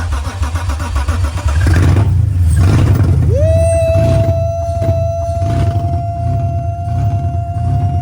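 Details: First start-up after a manual transmission swap, gearbox believed in neutral: engine cranks, fires and revs up, then holds a steady run with a constant whine over it; no knocking or misfire.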